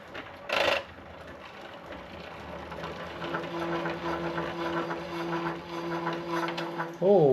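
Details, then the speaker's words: Raleigh Superbe bicycle with Sturmey-Archer 3-speed hub, on bike stand after gearbox oil change, crank turned: steady buzzing vibration drone; gear cable rubbing on the tyre, fixed by repositioning the cable. "where I've used the the bike stand is pop the cable out here and the cable was rubbing on the tire down in there."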